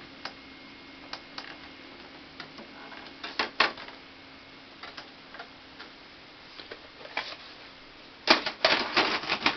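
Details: 2005 Symphonic VCR/DVD combo eating tapes; irregular light ticking from tape transport, about three per second, with louder clatters while chewing tape; cause unclear.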